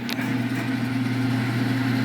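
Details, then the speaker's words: Smoke-N-Seer pellet grill auger motor run from the controller's auger button, some pellets had got wet inside: steady even low electric hum, no knocking or grinding; normal auger motor operation. "yep it works the reason why i was curious if you look down there it looks like some pellets got wet in this thing"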